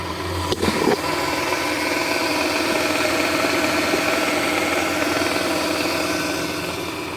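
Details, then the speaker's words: Toyota Sienna 3.3 L with a recently partially rebuilt engine, after power steering pump replacement: steady, smooth idle hum with no squeal or whine, and the earlier pump noise is gone. "That's the engine up and running very smoothly with no problem, no noises anymore."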